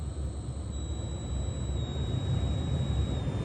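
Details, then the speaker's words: Honda Element with a used aftermarket blower motor already swapped in: a steady high whistle like AM static over the blower's airflow on fan speeds 1–2, changing with speed and gone on high. Caused by a faulty speed-control transistor. "we've got a peculiar sound coming from right down here in the blower motor area"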